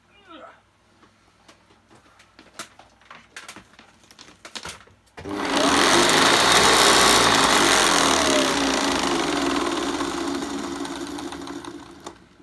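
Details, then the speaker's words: Hoover Commercial C1310 upright vacuum, newly unboxed, first switch-on: switch clicks, then a loud rough roar with a gritty, sanding edge that slowly winds down; strong motor but dry brush roll bearings. "very good brush roll but the bearings on it do sound a little bit dry"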